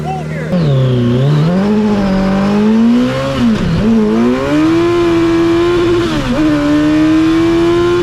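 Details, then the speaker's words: Hayabusa-swapped 1970s electric CitiCar after changing fuel-smelling oil: revs climb cleanly, drop on lift-off, then pull strongly again with no misfire; normal acceleration. "let's freaking go guys so much nerve so much time went into this thing and to finally see it ripping is just amazing"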